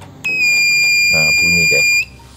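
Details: Car power inverter, about 2008, powered from a 12 V adaptor: steady high-pitched beep for nearly two seconds at power-on with the red indicator lit; fault alarm beeping, cause not yet found.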